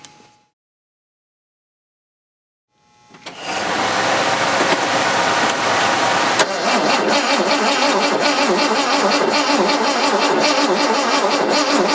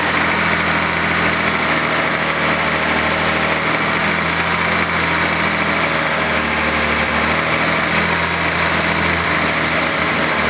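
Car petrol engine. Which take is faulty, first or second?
first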